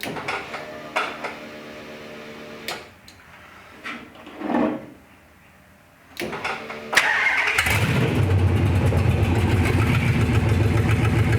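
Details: Gen 3 Hemi V8 in a 1952 Dodge pickup, first start after new exhaust and key switch wiring: a few clicks and fuel pump whirs, then catches around eight seconds and settles into a strong, even idle; normal start.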